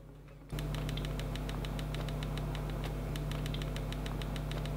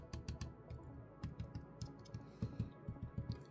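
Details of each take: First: ASUS ROG G16 2024 laptop: a light ticking rattle of about four per second over a steady fan hum, caused by a loose screw and fan shroud. The owner is unsure whether it is shipping damage or a quality-control issue. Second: ASUS G16 2024 laptop opened up: light taps on the metal fan shroud give firm, dull clicks that die quickly with no buzz or rattle. This shroud is solid, unlike the other side with its loose screw.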